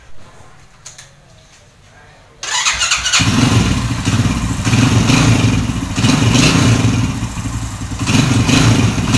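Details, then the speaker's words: Honda Win Detech 110 after one year and about 3,900 km, started in cool weather: a single-cylinder idle with a light rattly chatter. This is cam chain noise that appears with longer running; the owner plans to replace the cam chain. "Máy đang nổ galanti nè nhưng mà bạn nghe là nó có cái tiếng là nó kêu sên cam đó thì chạy lâu là là nó kêu thôi các bạn thì xe bốn thì mà Đó nó vậy thôi chứ còn thực ra không có gì hết"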